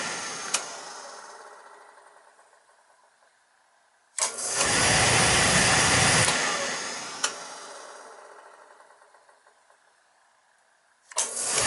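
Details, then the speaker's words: Beckett oil burner on a boiler tripping out on safety despite new transformer, filter and nozzle, old delayed oil valve: sharp click, then rough roar lighting late and fading before clicking again; burner hesitates, suspected control or loose wire. "hey that sound like that we set place that control here that controls bad change that 45-second that's what we want control and here it hesitating"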